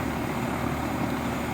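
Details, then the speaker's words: 35-year-old outdoor AC condenser fan after lubricating its dry, squeaky motor bearings and cleaning the coil: smooth, even whoosh as it spins steadily, no squeak or chirp from the bearings. As quiet as it has ever been. "okay she's back up and running and that's about as quiet as I've heard it"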